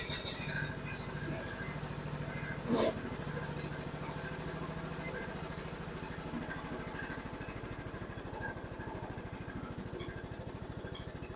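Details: Old John Deere riding mower just after replacing worn blades, running with blades engaged: small single engine at a steady, fairly even beat with no scraping or clatter from the deck; normal running.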